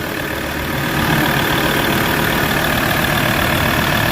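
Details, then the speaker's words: Ford Ranger 3.2 diesel after only an engine treatment, no code remaining: even, steady diesel idle with no shake or uneven beat; the earlier strong vibration is gone; smooth idle. "So ayan makita niyo wala na siyang vibrate. So naalessen yung vibrate guys."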